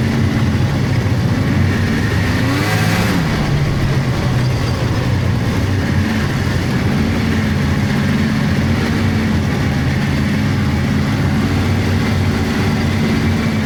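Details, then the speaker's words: 1999 Polaris XCR700 triple two-stroke snowmobile, after adjusting belt deflection on the adjustable clutch: pulls and idles smoothly with only engine and exhaust noise and no belt squeal. Jetted fat; clutch engages below 4,000 rpm. "Uh so, a little more messing to do with it, but overall, yeah, that belt deflection cleared that squeal right up."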